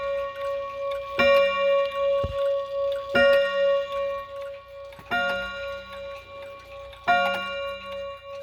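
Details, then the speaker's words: Chinese Polaris 31-day wall clock with a German-inspired movement and a two-rod strike: four bright ringing rod strikes about two seconds apart, each decaying cleanly over a soft tick, a healthy hour strike. "These Polaris clocks, and just in general the Chinese clocks that are similar to this, have a very peculiar strike sound."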